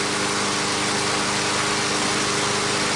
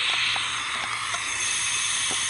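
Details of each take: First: Brand-new Briggs and Stratton 500 mower engine after freeing a no-start seized engine, cold start then about 10 minutes running as assembly-lube smoke clears: constant, even hum at one steady pitch, no knocks or misses; normal running. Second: Brand-new Briggs & Stratton 500 mower engine that never started, leak-down tester in spark plug hole, air filter off, engine turned over: steady high hiss of air escaping through the carburetor, pointing to a leaking intake valve.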